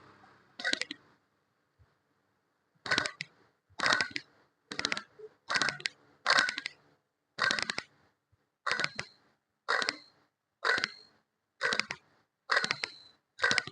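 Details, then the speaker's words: Water pump from a diesel Mitsubishi Lancer, spun by hand on bench: rough gritty grinding burst each spin, about one per second; worn water pump bearing, cause of noise heard when starting the car, little rust, no visible wear. "അപ്പോൊ ഈ water പമ്പിന്റെ sound എന്ന് പറഞ്ഞാൽ ഇതുപോലെ ഒരു sound ആയിരിക്കും വരുന്നത്"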